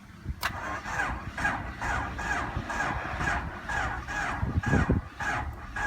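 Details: Honda CRX with the key on, check engine light lit, and the previously heard relay click now absent: steady rhythmic cranking at about two beats a second without ever catching. Crank, no start.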